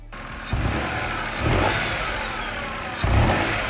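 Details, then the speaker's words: Vehicle on a lift with driven wheels raised, revved in short bursts: a quick high chirp each time as the serpentine belt visibly slips; the tensioner should be checked for holding tension. "You guys hear that chirping noise? One thing you want to check, make sure your tensioner is holding the tension."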